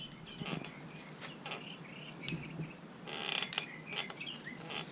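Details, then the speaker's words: Santa Cruz Blur MTB rear suspension linkage creaking while riding: dry squeaky creaks with each compression from the lower pivot bearings, gummed up by tire debris with no shield; fixed by removing cranks and pivot bolts and lubing. "So as you ride along, you get this annoying creaky sound. It usually comes from right down in here. So periodically you need to lube it up every 2 or 3 months."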